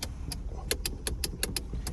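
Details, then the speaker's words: VT Holden Commodore driver's door window suddenly won't go up; switch solenoid clicks about ten times in two seconds with no motor whir, so owner thinks it is not the switch; window regulator found seized and fixed without replacement. "this window suddenly won't go up, and of course it's raining. So let's try and get this window up. I'm pretty confident it's not the switch because I can hear the solenoid clicking when I use the switch, so we got to get inside that door."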